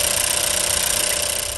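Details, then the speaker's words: 2016 Chevy Cruze on first start after fixing code P1101 (throttle body/MAF issue), codes not erased: fast, even pulsing under a hissy top end, steady and settled. Normal idle. "so far so good so maybe another flawless job under our belt so let it run for a minute before i put the cover on"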